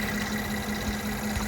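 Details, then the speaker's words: 2015 Mercedes-Benz E350 after replacing spark plugs for a coil-four misfire, hood open: smooth, even idle with steady low tone and no stumbles; check-engine light gone, no misfire. "so right now let me just pop the hood to see if i can hear that noise let me see see what happened and nope everything is good"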